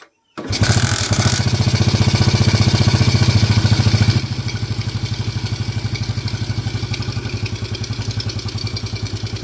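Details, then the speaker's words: Suzuki Smash motorcycle idling after rebuild with crankshaft bearings, connecting rod and piston replaced; steady even putter with no knocking, intake sucking noise because carburetor has no air filter; previously very rough clunking engine. "inilah hasilnya, Bro. Mesinnya sekarang terdengar halus, Bro. Ada suara hisapan karena karburatornya tidak punya filter, Bro."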